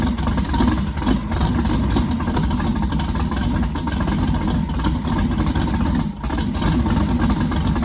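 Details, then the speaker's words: Twin-turbo all-steel pro mod 1969 Camaro "Bucket", first motor start since an incident: loud lumpy big-engine rumble that sags near the end as if starving, sounding like it is out of gas. "okay so it sounds like let me tell you why it's out of gas"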